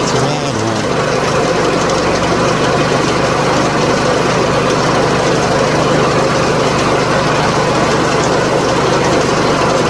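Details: 2004 PT Cruiser 2.4, idling during crank-signal scope test: rough, loud clatter over a steady idle with no clean rhythm; hoped to be the tensioner, unconfirmed.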